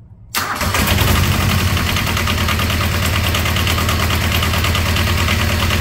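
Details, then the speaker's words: Small diesel auxiliary power unit engine off an old truck, started at low idle while holding the glow plugs: catches almost at once, then settles into a steady, even low idle with no misses or knocks; healthy cold start. "yeah that thing uh worked pretty well"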